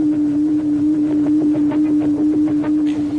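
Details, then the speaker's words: Submarine propeller: a steady mid-pitch hum pulses about twice a second, blade rate noise made by each blade thumping as it passes through the wake behind the rudder and hydroplanes, which can make the hull vibrate. "there's a third bad habit that unstealthy submarine propellers display it's this distinctive sound known in the trade as blade rate noise"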